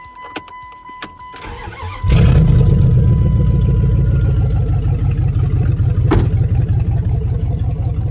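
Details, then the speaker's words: 1999 Dodge Dakota R/T V8, $300 Copart truck that sat in a backyard, started with no oil added and the radiator forgotten; a couple of clicks, then fires at once and settles to a steady, even idle with no misses or knocks. "Why does it kind of run good?"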